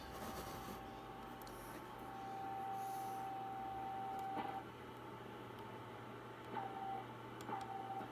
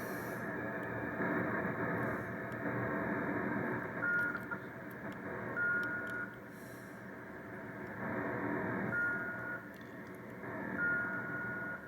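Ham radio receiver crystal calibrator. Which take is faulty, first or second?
second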